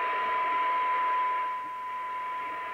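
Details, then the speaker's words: 1981 Audioline PT340 27/81 CB radio (Uniden chassis) during receive alignment: steady test tone at one microvolt barely above heavy hiss, target 0.3 µV not reached; interactive adjustments need repeating. "that's one microvolt i'd like to hear it at 0.3 we're not getting that yet so we'll go through it all again they are interactive so you know this is why i have to go through them several times"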